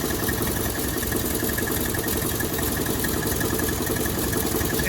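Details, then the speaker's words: 1957 Chevrolet Bel Air first run in 30 years, new water pump, alternative fuel tank, warming up at idle: fast, busy clatter over the low rumble, heard from both sides; unclear if knock or something rattling. "don't know if that's a knock or not, or if something's just rattling. Because you come on this side, oh, you can still kind of hear it."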